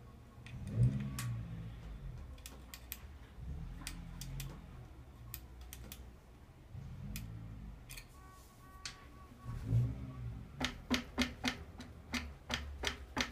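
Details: Fox DHX2 rear shock with coil removed, cycled on a frame: no knocking with LSR fully open, knocking begins at 10 clicks and grows louder at 19; owner suspects a loose shim in the rebound chamber.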